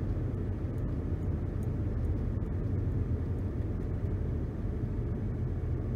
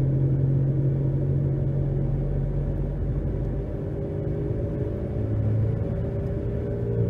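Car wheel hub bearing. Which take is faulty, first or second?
second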